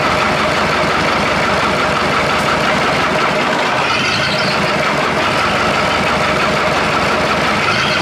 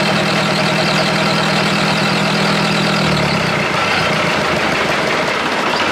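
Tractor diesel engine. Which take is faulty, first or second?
second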